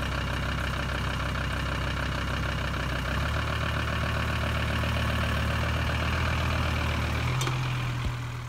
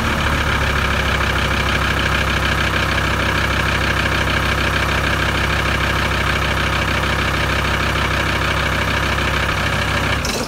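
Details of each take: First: VW 2.5 TDI van (ACV/AJT engine) cold start after sitting about three weeks: steady heavy diesel clatter at idle with a slightly uneven beat and a puff of white smoke; owner suspects injection pump timing slightly out or worn injectors, unconfirmed. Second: VW 2.5 TDI van after resetting the diesel pump timing (dial gauge set to 55): a steady idle with an even low clatter and no misses or hunting, then shut off. Settled idle after the timing fix.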